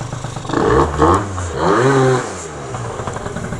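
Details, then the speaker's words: Malaguti F12 70cc two-stroke scooter after a carb rejet and new Stage6 reeds, on the stock spring; the buzzy pitch climbs slowly and sags. Bogging; owner suspects rollers too heavy and wants 5.5 g. "still struggling it's like it's still too heavy at rollers i think it really does need five five"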